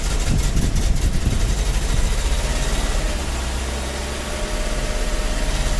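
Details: 1985 Toyota van sitting 11 years, on poured-in fuel: engine catches and chugs unevenly for a few seconds, firing stumbling and fading as it starves; sputtering start, cause suspected, not confirmed.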